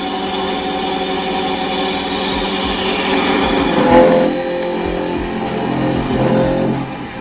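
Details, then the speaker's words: Lathe parting with a D-Way thin parting tool in a roughly 12-inch handle, long overhang and no tailstock: a ringing, wavering squeal that changes pitch as the tool feeds in, chatter caused by the overhang. "And the chatter you see there is only just because of the length I have out here over the without a tailstock, so that's why you hear that chatter."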